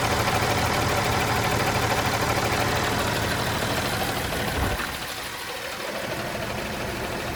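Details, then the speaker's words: John Deere 300D articulated dump truck JD6081H diesel engine, 10,739 hours, still installed in the truck; even, regular diesel clatter at steady idle with no misses, knocks or surging; runs great. "must have that exhaust gas thing, but it runs great."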